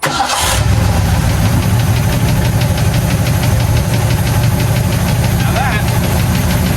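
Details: 1984 Ford F250 with a 351W V8, previously extremely boggy and wouldn't rev, after repairs: deep, steady rumble with an even beat and no stumbles or misses; all cylinders firing cleanly at idle.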